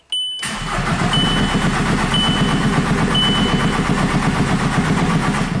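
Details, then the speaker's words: VW Jetta TDI after engine swap, crank no start with P0341 cam performance code: starter churns steadily at about four compression beats a second with a chime, no injector pulse and fuel pressure stuck at 20 psi; never catches. "nope no injector pulse we're not going above 20 psi"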